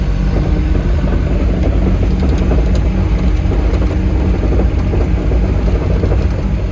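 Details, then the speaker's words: Farmer's diesel digger after service, adding washers so a part sits clear: deep even engine rumble under load with smooth track whir, no stalling or surging, now spinning around where before it would not track; normal hydraulic travel. "Right, that's better. It's trying to spin around on its own now. See, before it was only going to there and it wasn't trying to track."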